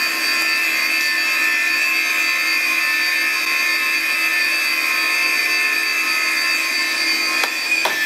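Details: Classic Digital (DEC) hard drive running in a special holder: steady high-pitched whine with a hissy rushing tone and a couple of brief ticks; owner unsure if normal, considers cleaning it, cause unknown.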